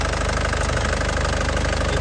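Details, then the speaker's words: 2010 LS turbo diesel with the injection pump still factory-sealed and no oil seepage: an even, crisp diesel clatter at idle with stable vibration and no misfire, and clean exhaust with no smoke. "Iniya, Lur. Dari suaranya renyahnya khas penter ya. Dari getarannya ini stabil, tidak pincang."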